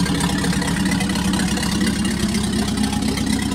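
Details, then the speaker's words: Packard 356 nine-main-bearing marine straight-eight, first run after rebuild, excess oil on cylinders clearing out: deep even rumble, steady beat, no knocks or misses; idling smoothly, final adjustment pending. "first run after rebuild so we had lots of oil on the cylinders and that all had to be kind of cleaned out so i think we're getting there now"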